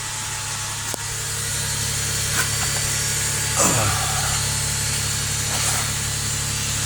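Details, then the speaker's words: 2003 Toyota Sienna after a new Y-pipe and catalytic converters; before, it was deafeningly loud. Now a low, even, quiet idle hum with no puffing, ticking or hiss; no leaks heard. "Oh my goodness, that's quiet. Wow. Before you could crank it up and it was so loud you couldn't hear yourself think."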